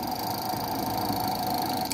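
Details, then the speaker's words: Gate opener motor rated 220 V wired to a 110/127 V supply with only one small start capacitor connected: steady mains hum with a thin whine, no run-up, then cutoff; motor fails to start because the capacitor is undersized. "vamos ver se o motor vai partir vou apertar o controle ó meu motor nem partiu"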